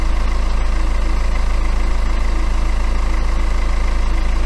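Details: BMW N47 diesel after a new timing chain was fitted: steady, even idle with a smooth low beat and no rattle or tapping; the timing drive sounds healthy.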